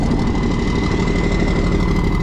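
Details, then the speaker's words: Old military truck, unmoved over 9 years, on a makeshift fuel system: heavy rattly diesel idle with a thin steady high tone riding over it; unidentified new noise, owner suspects the previously faulty air compressor working again. "okay I don't know what that is that is a new noise I have no idea what that one was"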